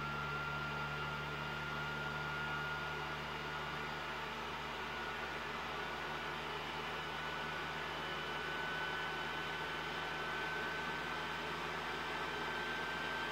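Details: PS4 Pro CUH-7016B in the multiplayer menu, before cleaning. Cooling fan racing at about 60 dB, a steady loud airy roar with a thin whistle. Caused by dust buildup and dried thermal paste; about 35 dB after cleaning and repasting.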